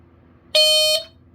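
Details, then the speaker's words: Guard Site (Emhart) 095-615 hardwired smoke alarm with Edwards horn, side test switch pressed while lying on carpet: a loud shrill steady tone under half a second, cutting off cleanly; horn sounds properly on test. "It does. Unlike this one where I had to use testing smoke because this test button did not work. This time, it does work."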